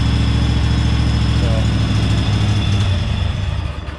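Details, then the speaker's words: 1998 Craftsman GT garden tractor with Kohler V-twin (hydraulic lifters, pressure lubrication), started with choke after fresh gas and a different battery: smooth, low, even twin idle rumble with no tapping; runs healthy, Harley-like. "this thing has a nice sound to it really sounds like a good v2 like a harley v twins nice and smooth"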